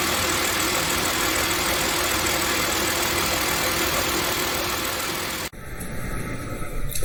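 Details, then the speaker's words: Car idling after replacing the belt, thermostat, radiator and water pump: soft thump about three times a second under steady idle, owner unaware; caused by uneven thickness on the new serpentine belt slapping the pulley. "벨트가 돌아갈 때 턱, 턱, 턱 이런 소리였습니다. 벨트 돌아가는 소리가 왜 턱, 턱 하고 났을까?"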